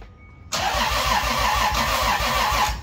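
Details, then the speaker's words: 2JZ-GE VVT-i head, non-VVTi block engine with BC276 cams in a 1995 240SX, newly wired to an ECUMaster ECU: steady starter churn with no firing; it turns over after the grounds were sorted, with coils not yet connected, so it won't start yet. "so it does turn over now as lane will show you and he's excited as hell"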